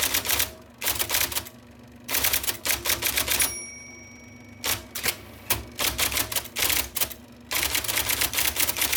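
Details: 1979 IBM Selectric II (non-correcting), revived after fixing a miswired plug and cleaning and lubricating; type ball impression knob set to middle: crisp bursts of sharp, even strikes with quiet pauses between words; normal typing.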